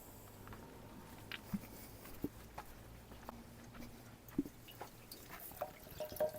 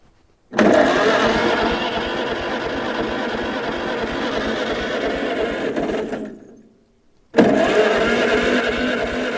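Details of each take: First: 1947 Farmall Cub tractor, engine off, being filled with water after reassembly: soft gurgles and drips as the cooling system takes water normally with no visible leak, only a possible minor drip; reused hoses. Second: 1947 Farmall Cub, ignition, fuel and choke on: two long cranking runs at about three turns a second with no firing; no spark, and the magneto is wet inside and out of time, likely from removing the governor.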